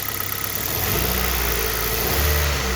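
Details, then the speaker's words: Hyundai i20 mk1 revved with a misfire: uneven, lumpy running with a low shudder and the whole engine vibrating as one cylinder drops out. Diagnosed by pulling the coil packs one by one; an ignition coil misfire. "You see the engine the entire engine is vibrating."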